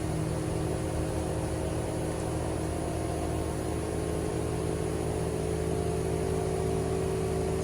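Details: American Standard heat pump outdoor unit in heating mode at about 60% capacity, before defrost; steady even hum, low compressor drone and fan whoosh, no knocks or rattles; normal heat pump operation in heating mode.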